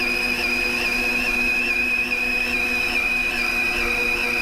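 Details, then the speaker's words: Lathe turning a 10-inch vertical gearbox output shaft after feed reduced one notch to 0.022 in per revolution: high, steady whistling tone barely wavering through the pass; tool cutting evenly without chatter, less strain on the machine. "quite as hard on the machine there"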